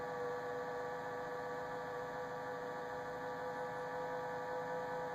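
Steady high-pitched whine over a faint hum, unchanging throughout; fridge whining, cause not identified. Cause suspected, not confirmed.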